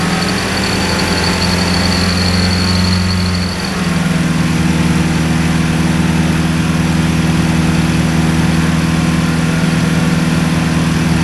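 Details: Two-cylinder hovercraft engine, newly settled with revised exhaust and carburetion, sped up to about 2500 rpm; even drone steps up smoothly after a few seconds and holds steady, running properly.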